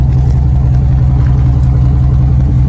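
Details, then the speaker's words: 1998 Dodge Ram after the whine was fixed: loud, deep, raw unmuffled rumble from rear; exhaust rusted and broken off, most of tailpipe missing. "It's actually missing most of the exhaust. So right there is where the tailpipe's supposed to come out."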